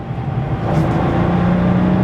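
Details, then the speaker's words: Porsche 993 911 Carrera Coupe with air-cooled flat-six, accelerating on a road trip; smooth, rising, mechanical note with no knocks or rattles, and a healthy engine. "But it just h it sounds like every flat 6 Porsche that I love. It's got just such a nice mechanical noise to it."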